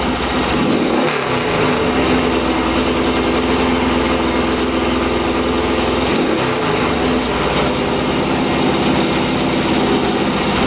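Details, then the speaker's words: Yamaha XS650 twin, freshly rebuilt engine; flooding cured by draining the carb bowl, ignition was slightly advanced: steady, even idle with smooth low throb, no knocks or misses; starts and runs cleanly; normal idle. "And yeah, the ignition was a little bit advanced, so now when you start it up, it runs just fine. There's no issues at all."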